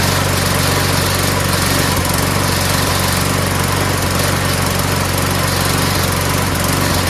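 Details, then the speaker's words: Mower after fitting a replacement O-ring part: it runs loud but ragged and sputtery. The owner doubts the carburetor and suspects cloudy, water-saturated gas mixed with two-stroke oil, so the tank is to be drained and refilled with fresh gas. "you know it doesn't sound so good it sounds sputtery so I don't think it's the carburetor that's all I was thinking it's got bad gas in it"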